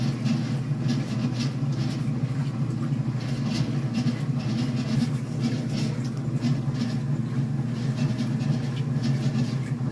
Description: Commercial top loader makes loud noise from the pulley.